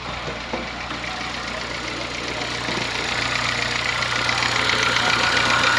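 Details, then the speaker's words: Honda Fit gasoline engine: an even tapping knock, about four per second, over a steady idle, likened to a diesel Kombi; it lessens slightly once the engine warms up. The car went to a workshop, cause not yet known. "Na hora que esquenta, diminui um pouco, ó."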